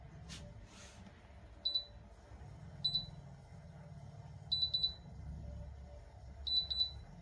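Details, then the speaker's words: Ferroli double induction hob under repair for breaker tripping and overheating: sharp high beeps in single and double bursts about every two seconds over a faint fan hum. This is the error alarm for the temperature sensor not being plugged in. "th nó đang báo cảm biến này cắm cảm biến đã"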